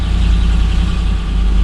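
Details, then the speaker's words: Second 1999 Land Rover Discovery running after its ECU and BCU are reconnected: steady, even low idle rumble with no knocks or misses. Normal idle. "Okay, the moment of truth. Do I, for the first time, have 2 running Land Rover Discoveries? It looks like I do."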